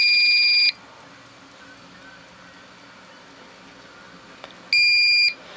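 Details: Old APC Back-UPS 500 (500 VA) with mains killed, running a small strobe light on battery: two steady high beeps about four seconds apart over quiet room hiss, the on-battery alarm working normally.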